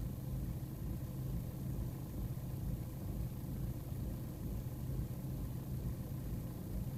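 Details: BMW E46 320d M47N diesel idling: low, uneven, loping rumble. Quieter once at operating temperature. Persists despite new MAF, cleaned intake, swirl flaps removed, EGR blocked, new vacuum parts, oil separator and fuel and air filters. Rough idle, cause unknown.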